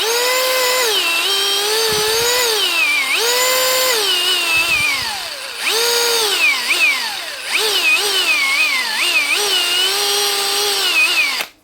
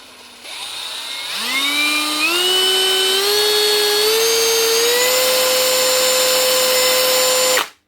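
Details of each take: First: 2017 Hitachi DV18DBXL brushless cordless drill still working but speed all over the place: motor whine surges and sags erratically instead of holding steady; owner hopes it is just the faulty trigger speed switch. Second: Hitachi (HiKOKI) DV18DBXL brushless cordless drill after replacing the faulty trigger switch: whine climbs smoothly in steps as the trigger is squeezed, then holds steady with no jumping, surging or cutting out; trigger now works properly.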